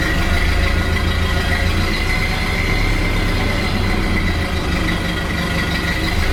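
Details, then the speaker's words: 1929 Ford Model A four-cylinder after oil pan, gaskets and oil filter reinstallation, before test drive: even, steady low putter with no knocks, misses or rattles; clean, healthy idle. "Sounds pretty good. Sounds like it's idling really well."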